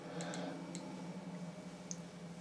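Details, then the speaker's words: Repaired 1960s–70s Soviet DP-5A Geiger counter with the sample moved further away: sparse irregular sharp clicks over a quiet room hum as the reading falls; it works, though the loose connection may recur. "it goes going down a bit but yeah yeah it works which is nice"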